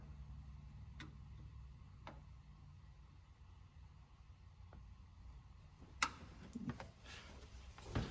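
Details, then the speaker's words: 2015 Isuzu NPR steering gearbox, drag link and tie rod ends already replaced; sharp dry clicks, about one a second, as pitman arm is rocked during quarter-turn worm gear adjustment; lash in steering box. "just do a quarter turn then come down here and listen for the clicking noise foreign do another quarter turn"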